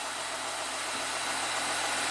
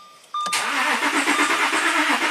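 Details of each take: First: 2014 Audi Q7 TDI diesel after oil cooler and pipe reseal for a coolant leak and 8-quart oil change, after a longish crank: even, steady idle with smooth hum, no knocks, misses or hunting; normal idle. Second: 2014 Audi Q7 TDI after oil cooler and coolant pipe reseal under intake and fresh oil, first start: starter churns steadily about seven seconds before catching; long crank.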